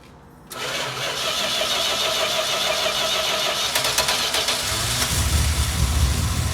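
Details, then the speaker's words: 1971 Dodge Charger with 26k original miles, stored 26–27 years, started with fuel poured down the carb: catches after a short crank and runs on its own with a lumpy, uneven idle, smoothing slightly as revs rise; owner suspects gummed-up carb. "yeah sitting for 26 years and she fired up just like that i bet you the card might be a little gummed up but let's give her the little rpms i'm sure to clean herself out"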